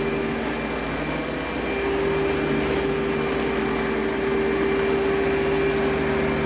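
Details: Advance Spectrum 12P thrift-store vacuum during an airflow test: a steady motor roar with a high whine and a faint quick ticking; owner suspects the clutch assembly rather than the motor bearings, not confirmed.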